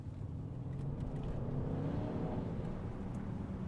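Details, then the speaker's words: Mercedes GLE 63S after about 30 minutes idling, at normal operating temperature, accelerating under a light throttle squeeze: deep, even engine rumble building smoothly with no stumble or hesitation, strong healthy pull. "I love how comfortable this car is, but give a little squeeze of the gas and it's just an absolute rocket ship."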